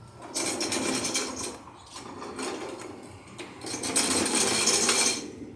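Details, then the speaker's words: Craftsman lawn tractor, 16.5 hp Kohler Command, hydrostatic transmission, pushed forward by hand with engine off: bursts of quick dry clicking from the drive's ratchet system, which always makes that noise. "the ratchet system for the drive it always makes that noise no matter"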